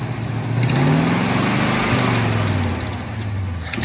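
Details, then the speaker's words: 1970 Ford pickup carbureted engine, carburetor suspected partly plugged, rag-over-throttle trick being tried: revs climb unevenly then sag and stumble; engine hesitation. "So what we have here is a carburetor giving us some trouble. I think she's a little plugged."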